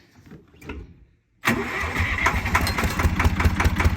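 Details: Zetor 3340 diesel tractor that sat 5+ years, first start with a new battery and a freed-up alternator, no ether: quiet cranking, then it catches and idles slightly unevenly; poor throttle response, owner suspects a sticky injection-pump fuel rack; normal start.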